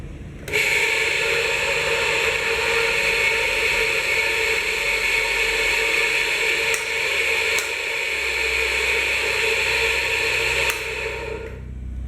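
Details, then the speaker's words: Pedestal fan before cleaning and lubricating the front and rear motor bushings: steady high rasping squeal over the airflow, constant tone; fan speeds and airflow fine, dry worn bushings cause the noise: fan bushing squeal. "This annoying noise, imagine, having to listen for a while next to you. Yes, it is quite strong, we are going to turn it on so that they listen to the problem."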